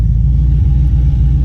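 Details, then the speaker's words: Box Chevy Caprice, 350 V8 with Hooker headers and dual Flowmasters, new plugs and wires, first drive: deep rumble stuttering and hesitating under acceleration; owner suspects carburetor, unconfirmed. "you hear that stuttering that's what we got to get addressed i think it's the carburetor but i can't prove it though"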